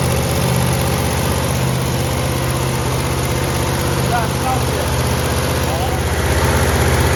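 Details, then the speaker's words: 1970 Chevelle SS 454 big-block with solid lifters, warm, finishing break-in after about 15 minutes of running: steady, even idle down to 650 rpm with a firm lope and no ticking or knocking; engine runs healthy. "I mean it idles down to 650 RPM and uh we're very very very happy with how this motor is running"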